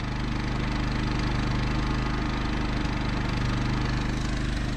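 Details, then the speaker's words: Champion 3500 W remote-start generator installed in enclosure in a 1990 Fleetwood Bounder RV, with two cooling fans running, about 52 dB: low even drone under soft fan rush, no surging or knock; quiet as a Honda 2000. "that's is quiet that there is as quiet as the honda 2000 that's the famous little generator"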